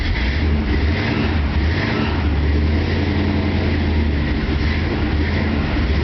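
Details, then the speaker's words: 1967 El Camino with ZZ4 V8, cold start after sitting, recorded outside; deep steady rumble, even and smooth with no misses, knocks or ticks, healthy cold running. "Outside, you can just see what the cold running is like. No fuss, no muss. I love that sound."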